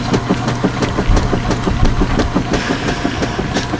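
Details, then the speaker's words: Washer (one of two direct-drive machines, 10 towels each, mechanical timer) agitating with even back-and-forth strokes, about three a second, steady with a light clunk each stroke; normal agitation. "oh listen to that fapping action yep nice even Strokes now"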